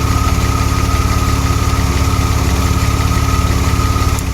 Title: DeLorean: An occasional misfire